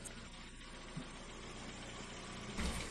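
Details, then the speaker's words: Ford Fiesta 3-door petrol right after an oil change; brief tapping at start was the oil circulating. Quiet, steady low idle with an even beat, no knocks or ticks; sounds good, healthy engine. "That sounded pretty good. They did, didn't it? Yeah. Good little engine these as well. That sounded good."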